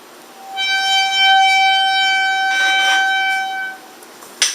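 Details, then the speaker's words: Bicycle front disc brake squealing after cleaning: loud, steady high-pitched squeal for about three seconds while the brake is held; pads turned out contaminated and were replaced, though new pads still squeal just before stopping. "I'm having a problem right now when breaking it's starting to squeal so I want to see if anybody can help me out"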